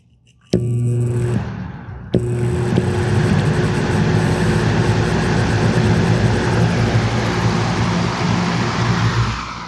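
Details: Lasko B20301 Cool Colors box fan from 2020-21 with a cracked blade, before cleaning: spins up to steady low hum with coarse buzz; fan badly out of balance, buzzing.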